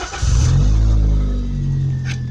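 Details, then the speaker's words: Toyota Corolla with a modified Magnaflow cat-back exhaust starts quickly and settles into a smooth, steady low idle with no misses or knocks; the car now runs really well, with electrics and lights all working. "As you can hear, that's the car actually running. Everything works."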